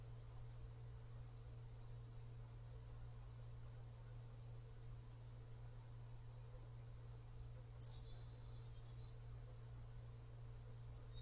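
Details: PC fan in PWM mode revved to maximum speed gives a quiet, steady low drone with a faint ringing harmonic resonance above it; some bearing rubbing was heard at low speed.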